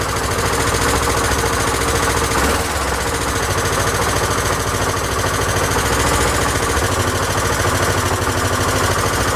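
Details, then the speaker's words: Honda XL1000 Varadero V-twin after idle speed raised because it ran low and cut out: loud, steady lumpy idle with no stumbling; normal idle, running much better. "well it seems to be a lot better again i'll recheck all the coolant levels probably several times before i'm happy"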